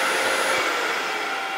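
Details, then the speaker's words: Grizzly G0800 wood lathe, newly received, at full speed 1017 rpm: steady even hum with a faint high whine, no knocks, rubs or rattles; quiet enough to work without ear protection. Normal running. "it's pretty quiet so we'll turn it up to that's all the way up 1017 rpm and it's pretty quiet you could probably work without any headphones or had ear protection"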